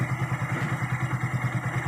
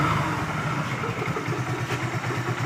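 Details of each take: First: Hero Glamour single-cylinder motorcycle after full engine rebuild by another mechanic, fixed by replacing a faulty bearing: engine noise now gone, even thump about eight beats a second, no rattle or grind; normal idle. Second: Hero Glamour single-cylinder bike, about 400–500 km after another mechanic's full engine rebuild. At idle a low, steady rumble carries a light metallic rattle that changes when the clutch lever is released.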